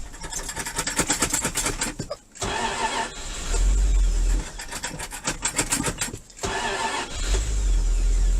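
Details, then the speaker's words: 1984 Dodge Ram D350 with 360 V8 and 4-speed, sat in a barn about 20 years: short crank, then it catches cleanly and settles into a steady, smooth V8 idle with no smoke; a healthy start. "This has been sitting for 20 years or so, he said. It was in a barn. You see there's no smoke. This sounds like a freaking beast. But smooth as could be."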